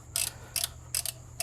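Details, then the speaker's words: Four sharp metallic clicks, each a quick double snap, as the click-type torque wrench breaks over at its set torque. 2005 Dodge Magnum 3.5 L V6 during a timing belt replacement. "Hopefully you guys could hear that click. It lets me know that we reached it."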